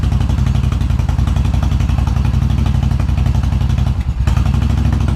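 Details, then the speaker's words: 2000 Suzuki Intruder 1400, which a previous shop said had low compression, fed fuel directly to the bowl: even, quick exhaust pulses on fast choke idle with one hiccup. Carbs are probably not synced and it probably needs plugs, but there is no misfire. Both cylinders fire and it has compression. "A little hiccup there. Cards probably aren't synced. Probably needs plugs, but we don't have a misfire. It's got compression."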